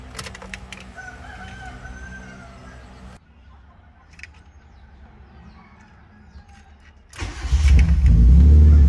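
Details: After no-start/no-crank troubleshooting, with starter motor checked good and wiring restored, the starter catches and the engine fires into a strong steady low rumble; it starts and runs normally.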